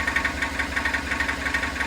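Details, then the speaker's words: Car at idle, put in Drive, with new engine mounts already fitted: steady idle with a sharp knock about six times a second once in gear; source unknown, still under investigation. "Oigan señores caso preocupante alarmante el cliente viene preocupado por ese sonido ponga la velocidad me dice Toño oiga"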